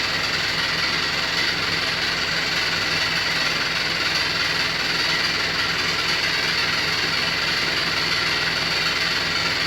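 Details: New Beko WY124PT44MW 12kg washer, 3rd–4th use, light load of socks, sheet, sweatshirt: loud steady rumble and rattle as the drum turns, sounding like it's falling apart; transport bolt was left in and feet lock-nuts unset.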